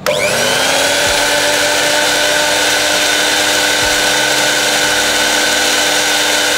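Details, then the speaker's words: Miyako blender that was completely dead, running after motor (dinamo) repair: steady high motor whine that spins up quickly and holds an even pitch, no grinding or stutter; normal motor run. "Nyalakan Oke sudah bisa nyala udah bisa muter Sip lah"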